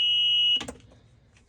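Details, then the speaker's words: EZGO RXV golf cart in reverse: the backup warning beeper, located under the seat, gives a loud steady high-pitched tone that cuts off abruptly; it works as intended before being quieted. "All right, I'm gonna show you how to quiet the noise for the backup on an EZGO RXV."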